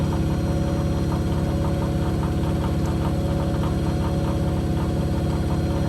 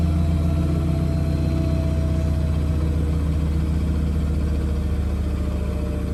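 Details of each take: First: Blomberg RapidJET LWF194520QW 9 kg 1400 rpm washing machine during spin: rapid regular thumping, two or three a second, a knock each drum turn. The owner suspects cables on the side hitting the drum when the load is out of balance. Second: Blomberg RapidJET LWF194520QW 9kg 1400rpm washing machine spin: steady low hum and even drum rumble with no knocks (knocking otherwise occurs when out of balance); quiet, normal spin cycle.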